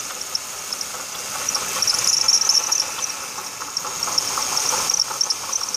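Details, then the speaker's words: 2006 Ford Taurus 3.0L Vulcan V6, about 130k miles, idling, mic at engine bay: fast uneven high chirps from the failing water pump bearing, pump dry with no leaks; replacing the water pump cured the noise. "Got little chirps coming down there from the water pump."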